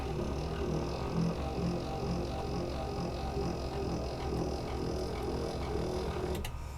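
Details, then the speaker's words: GM Silverado/Tahoe power seat up-down motor, tested in the vehicle after fitting a new brass spur gear: even, steady motor hum with a smooth unbroken drone and no clicking or grinding; normal operation. "everything sounds good, then that completes the installation of your Gruven power seat gear."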